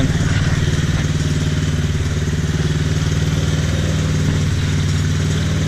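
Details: TaoTao Chinese ATV that sat over a year with a carb clogged by dried fuel, after a temporary carb fix, warming up. Small engine putters at a steady, even idle with no stumbling or hunting; running cleanly.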